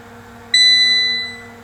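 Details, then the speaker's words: Tektronix TDS 420 oscilloscope rebuilt from a scrap box of parts: a single loud, high-pitched beep of about two-thirds of a second after clearing a DSP-fail error code through the utility diagnostic menu; its meaning is unknown. "okay all right that loud beat's got to mean something all right let's get rid of that"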